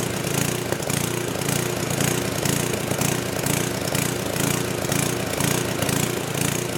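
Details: Old 10hp gasoline generator converted to propane/LPG using only the regulator of a cheap eBay aftermarket carb kit, choke open; speed rises and falls about twice a second in an uneven gallop with a little backfire; owner suspects it isn't drawing enough fuel, unconfirmed.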